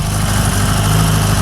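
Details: Engine on the dyno, with a 1040 steel crank, being checked for flooding from oversized pump jets: a loud, even, throaty note held without stumble or bog, picking up cleanly. Healthy engine revving.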